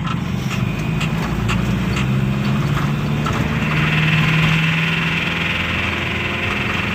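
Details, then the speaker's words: Mitsubishi L300 diesel losing power, on a road test in third gear at 40–50 km/h under load: a rough, uneven metallic rattle, not from the engine internals but from an EGR valve stuck open; the van is limited to 60–70 km/h. "Jadi pada saat gigi tiga teman-teman pada saat gigi 3 ini terjadi suara kasar ya"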